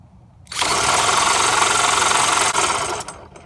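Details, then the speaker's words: 1975 VeloSolex moped, not run in years, spun with a drill after the jet was blown clean: about three seconds of steady whirring with no firing; no fuel at the return line, fuel pump suspected bad. "absolutely no fuel so that is definitely our issue it's not getting fuels like somehow I'd have to guess that this fuel pump isn't working"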